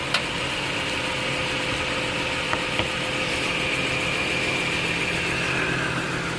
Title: 2006 Acura TL (3G) Clicking Sound While Turning Steering Wheel in Park (Driver Side) - Bad Rack